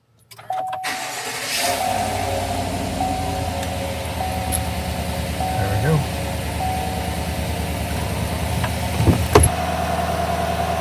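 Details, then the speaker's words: 2020 Chevy Silverado 5.3 V8, about 54,000 miles, after repair of an RPM-following whine: cranks, starts quickly and settles into smooth even idle with no whine or squeal. "We'll start up and see the squealing's gone. Let's see if we fixed it."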